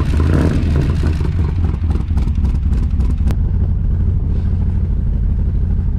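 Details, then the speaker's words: 1982 Chevy Camaro V8 after jacking on the driver-side exhaust pipe and moving the header; owner feared an exhaust leak: deep, even burble, steady firing, no ticking or puffing. Normal idle, no exhaust leak. "I might have created an exhaust leak by jacking up on that pipe and moving the header but let's see n sounds fine"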